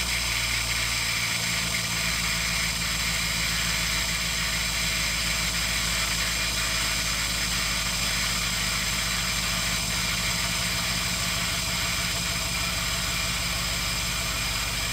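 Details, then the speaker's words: Chevrolet Biscayne fitted with a 92 mm Chinese throttle body, idle air port enlarged and a Dodge 5.9 V8 IAC installed, throttle cracked slightly, no air cleaner: steady idle with a faint airy whistle, now much quieter. "so let me crack the throttle open just a little bit to where it'll comedy set and the noise is way quieter at least it's bearable"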